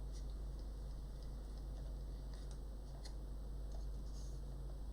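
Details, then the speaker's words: Kenwood mini hi-fi CD mechanism that sat too low and was scratching. The spinning disc now gives a steady low hum with no scraping, so the disc spin is normal. The root cause, possibly softened rubber, is still to be found. "now it's a proper sound so we need to figure out why it's scratching here"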